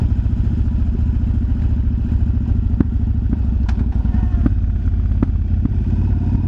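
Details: Yamaha BT1100 Bulldog 1100cc V-twin at idle: a loping thump with sharp, irregular pops from the exhaust every second or so; cause of the popping unclear.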